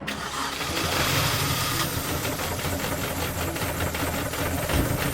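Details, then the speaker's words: £250 Mini Cooper off the road 10 weeks, just started: uneven lumpy engine note with irregular stumbling beats and no steady idle, sounding atrocious; rough running, cause not confirmed, coolant leak also found. "That didn't sound fucking good at all. That engine sounds absolutely atrocious."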